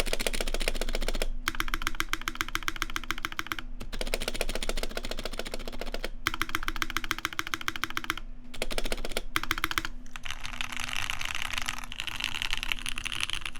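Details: Taeha Types x TGR custom keyboard with brass plate, GMK Olivia keycaps, Vintage Black housings with Nixie stems, Krytox 205g0 lube, 72g springs, and lubed, clipped GMK screw-in stabilizers: fast, even, deep, muted clacks with no stabilizer rattle.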